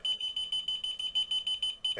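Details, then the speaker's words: Key fob finder beeper strapped to a DJI Avata battery, triggered by remote: rapid, steady, evenly spaced high-pitched beeps; range only about 150 feet. Finding: locator beeper working. "and you can hear it beeping. Okay. So you would definitely be able to find your drone with it doing that."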